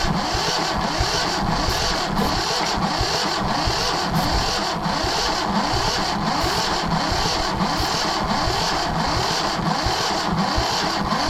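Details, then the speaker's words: Yanmar 1500 tractor that wouldn't start, cranked at wide-open throttle while bleeding the injector lines (fuel arriving with little pressure): steady starter churning at about two strokes a second, with a faint occasional hit. Cranks, no start; a little smoke soon followed. "Thought I heard a little hit there."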